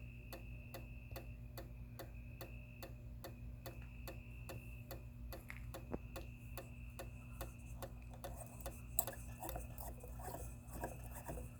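Sharp regular clicks roughly every second and a quarter, repeating steadily over quiet background hum; the light keeps clicking instead of switching on.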